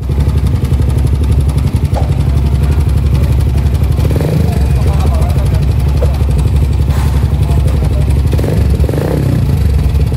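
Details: Suzuki GSX motorcycle after a major service (throttle body cleaned, new oil), previously noisy like a tractor: engine idles smoothly with an even low thump and no knocking or rattle from the top end.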